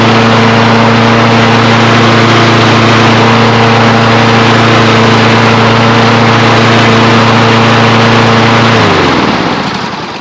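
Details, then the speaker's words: Kohler engine on a Toro Recycler mower after governor repair for over-revving, new belt fitted. Steady, even hum at constant pitch with no hunting or surging, then smooth wind-down at shutdown; governor holds speed properly. "hey and that sounds great"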